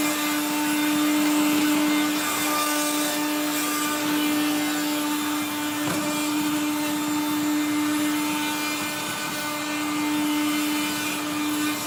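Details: 1970s blue Regina Electrikbroom 3-speed vacuum vacuuming a floor: a steady motor hum with a constant rough, gritty grind, from motor bearings gone dry after someone washed the motor and fan.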